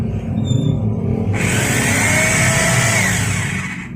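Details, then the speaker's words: Rotary hammer drill after disassembly, repair and reassembly with snap rings and the front rubber cap, tested in normal drill mode: a low rumble, then a steady, clean high whine with no rattle or grinding. It sounds smooth and healthy. "Well the sound is smooth let's try it in concrete drilling mode"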